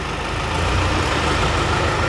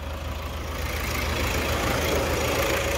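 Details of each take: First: Toyota Hilux 3.0 diesel engine brought in for overhaul, previously badly assembled by another mechanic: steady heavy idle with rough, low clattering drone and no clean rhythm; abnormal internal engine noise. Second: Toyota Hilux 3.0 diesel after engine rebuild: steady, even idle with a regular rhythm and no stray knocks or rattles; healthy-sounding engine, normal idle.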